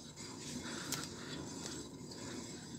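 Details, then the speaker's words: A front wheel bearing replaced less than a year earlier and believed to be poor quality: a dry, rough rumble with scraping rises and falls as the wheel is turned by hand; a worn, growling wheel bearing. "tem um barulho já de rolamento roncando né então a gente aí fica cada vez mais Refém de peças de má qualidade aí no mercado"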